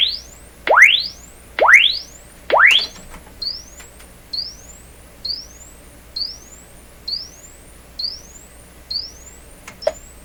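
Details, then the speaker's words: RCA Victor 67V1 console radio audio amplifier, before replacing its paper audio capacitors: signal-generator tones sweep upward about once a second through an uncased speaker, clean with no buzz, rattle or distortion; normal frequency response. "good didn't hear anything unusual at all"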